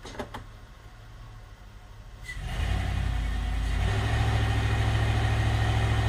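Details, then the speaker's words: GM 5.3L LS-swapped Sub-100 after chasing dead cylinder misfire, possible bad injector or coil connection: engine catches and settles into even, steady low idle with no skips, scanner shows no misses, O2 sensor now switching; normal idle. "i do know that we no longer have a miss and the things never actually ran this good"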